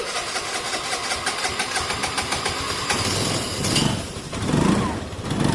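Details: Vespa 50cc moped fitted with a 125cc two-stroke engine: it catches on the starter, then runs a ragged, uneven idle with lurching revs that won't settle; running rough, cause not pinned down.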